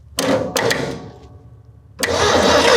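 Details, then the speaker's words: 1972 Ford F100 4x4 with a 390 V8, parked 15-plus years, ignition jumpered with a clip wire: a few short cranking bursts, a pause, then a sustained engine roar as it fires. "All right, I'm gonna crank and see if we have spark, which I think we already do."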